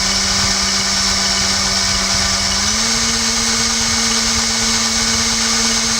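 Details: BL 2.4GHz RC helicopter 9004G, microphone right next to the tail rotor, speed button pressed (toggle: press to increase, press again to reset): steady high motor whine steps up clearly in pitch, then holds. Tail rotor speed change working normally.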